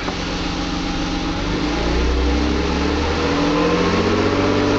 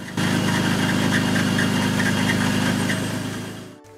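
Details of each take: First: 1997 BMW 528i E39 (M52 petrol) idling and lightly revved after replacing both squealing belt tensioner/idler pulleys: smooth, no squeal at all. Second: 1997 BMW 528i E39 (M52 petrol engine) idling with a chirpy, pulsing high squeal from worn belt tensioner/idler pulleys, fixed by replacing both tensioner pulleys; other pulleys and belts also inspected.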